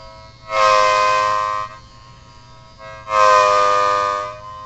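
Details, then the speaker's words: Homemade mini Thunderbolt siren chopper running on a used, roughly half-dead 9 V DC battery (needs 18 V for full output); two short thin rising wails lacking punch: weak siren output from low battery voltage. "m running this on a used 9 volts DC battery, and it's a little low on power, so it might sound like a chopper level 4 or whatever. It's probably like half dead."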